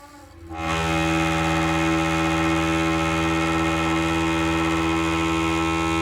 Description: I replaced the flapper in my toilet and since then every time I flush, after the tank has refilled, there is a weird groaning noise that echoes through the house.